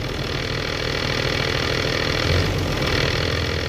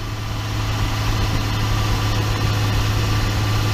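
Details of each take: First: 2012 Ram 2500 6.7 diesel at 110,000 miles with a G56 manual: a steady idle with a loose, rapid metallic clatter underneath; gear rattle at idle since the dual-mass flywheel was swapped for a single-mass clutch, a common problem. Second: 2012 RAM 2500 6.7 diesel at 110,000 miles driving after swapping in a rebuilt G56 manual transmission: deep even drone, no gear whine or clunk; noticeably quieter than the noisy gearbox that was removed.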